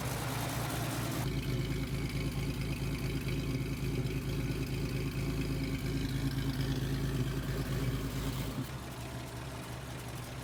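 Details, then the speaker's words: 1930 Nash 420 Standard Six sedan, old six idling: steady, low, even idle with a soft regular pulse, no knocks or misses; running smoothly. "It's old, but it drives nicely. It's in great shape for the year. Yeah, it runs great."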